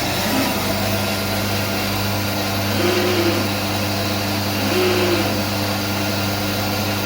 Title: SCM MINIMAX s45n - Strange noise and power cutout. Diagnosis please!